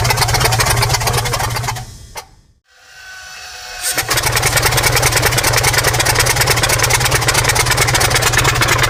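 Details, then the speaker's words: New diesel engine for a T62 tank, first start attempts after oil fill: steady cranking about three beats a second stops, resumes, never fires; stubborn hard start, later fixed with starting fuel for heat. "Okay, guys are still trying to get this thing going, so yeah, this is all right. So far, it's being a little stubborn."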